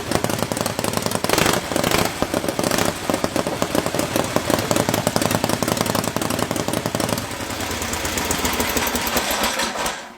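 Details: Freshly rebuilt Harley-Davidson V-twin on machine-shop test stand, open pipes: loud fast even lumpy beat, steady without stumbles or extra knocks; healthy run.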